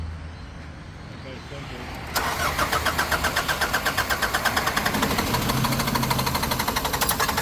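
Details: Nissan Navara D40 diesel after a fuel filter change: quiet, then steady starter churning about four turns a second that never catches. Air is still in the diesel lines, so it cranks but won't start.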